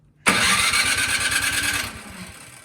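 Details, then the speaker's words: Craftsman snowblower that won't start despite a mid-season tune-up last year: quick rope-pull spin chuffs and fades without catching, a crank no-start with the carburetor suspected gummed up. "nothing so that tells us that the carburetor is probably all uh gunked up"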